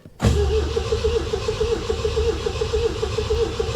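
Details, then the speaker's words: 1975 MGB that sat about 16 years, in neutral with clutch in, first start attempt: starter spins the engine at a steady rhythmic churn for several seconds building oil pressure, but it never fires; cranks but does not start. "she cranks it's building oil pressure she cranks she cranks okay well this this is exciting this is exciting"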